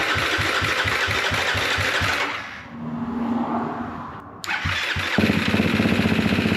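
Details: 2024 Gas Gas MC250F after Vertex piston top end, cylinder head cleaning, broken starter idler gear replaced and starter rebuilt: cranks, dips, catches and settles into a steady even beat, no knocks; running healthy.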